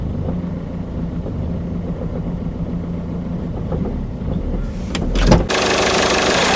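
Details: Citroën Picasso 1.6 HDi 110 diesel idling, then revved: light, uneven tapping about three or four times a second, heard only inside the cabin; knock source unidentified.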